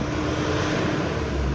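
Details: Mitsubishi 4D56 diesel with code P1275, hard starting and knocking, after the code was cleared and the engine restarted: now idles with a steady, even low rumble, no knock or misfire; fuel pressure is being checked and a diesel valve replacement is possible.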